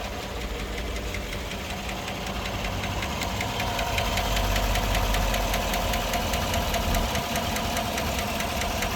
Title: 2014 Chevrolet Silverado 5.3l engine ticking noise P0340 P0341 Camshaft Position Sensor #karcheckz